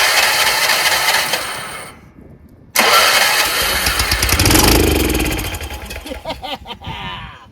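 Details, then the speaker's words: Troy-Bilt 30-inch rear-engine rider: it catches on carburetor starting spray, cuts out, fires again, then fades and dies. Fuel starvation; owner suspects a dirty carburetor or bad fuel solenoid not letting fuel in. "So it only ran on that little bit of spray that we sprayed, which means that I think carburetor's dirty, the fuel solenoid is bad, and it not letting fuel go in."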